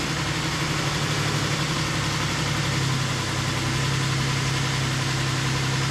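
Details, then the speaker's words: 2008 Ford Explorer 4.0 SOHC, first start after timing chain replacement and engine reinstall, with the fan not yet connected: a low throbbing idle that shifts pitch instead of settling, better than before; hunting idle, vacuum leak suspected. "a little bit of a hunter [Laughter] [Applause] [Music] yeah we got a vacuum leak or something somewhere i'll find it but it sounds a lot better than it did"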